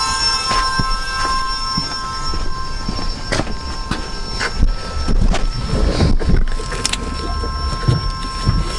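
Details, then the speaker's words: AWD Honda Accord CB7 fitted with Volvo electric power steering pump, after replacing a leaking hose: steady even high whine, no surging or grinding; pump running normally, no leaks. "that noise the winding sound is the pump still gonna get another hose connected over here to have extra fluid in the system"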